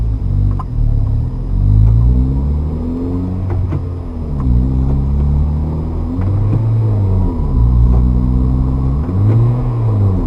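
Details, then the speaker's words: Manual transmission car upshifting: engine revs climb and sag repeatedly as the clutch takes up; gas pressed too early at the bite point makes it flare and wears the clutch. "You can hear the car kind of rev up when the clutch is not engaged. That's not what you want to do because that time you're wearing out the clutch."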